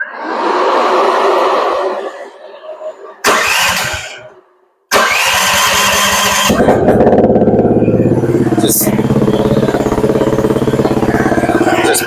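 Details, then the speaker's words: A Chinese mini skid steer starts into a loud, raspy, dirt-bike-like drone. The exhaust has no mount from the factory and runs loose inside the frame, echoing off it. "So the exhaust just runs inside the frame and echoes off the frame. It's loud as can be."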